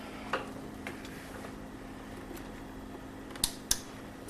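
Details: LG plasma TV power supply board EAY60968801 (50PK750/50PK540/50PK550/50PX950/50PK990 family): faint hum with sharp clicks about a second apart that keep repeating while the TV flashes and fails to come on.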